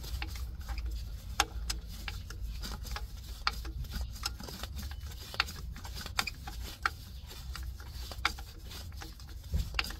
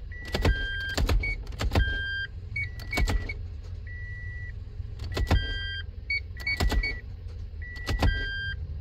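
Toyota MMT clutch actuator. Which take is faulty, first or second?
first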